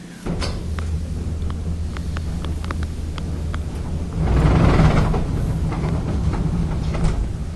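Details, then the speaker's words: Maytag dryer running: low, steady rumble under door-handling clicks that continues with the door open; caused by a loose blower wheel, needing replacement. "So even when you open the door, you can still hear that rumbling, and that's due to a loose blower wheel like this one here."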